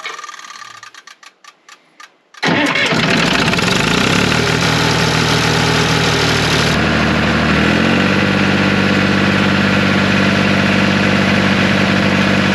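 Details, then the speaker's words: 1974 John Deere 350B bulldozer diesel after removing clogged fuel return-line check valve (ball and spring) that caused stalling: slow cranking, then catches and settles to steady even idle without dying; fixed, normal idle. "hey that's pretty cool guys that was a clog return check valve that wasn't working and the one line the one post said remove that and don't put it back in so I did she's not dying now that's pretty amazing"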